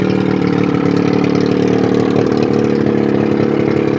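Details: 1981 Evinrude 35 HP two-stroke outboard, run with gearcase off, 150 psi compression in both cylinders, barely warm: steady burble at constant speed, even firing, no knocks or rattles; normal running.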